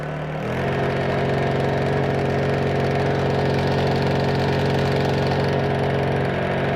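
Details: Honda EU2000i generator that previously wouldn't start, refuelled and started with choke on and fuel tank vent open; catches and holds a steady, even buzzing drone with no surging or misses, running smoothly.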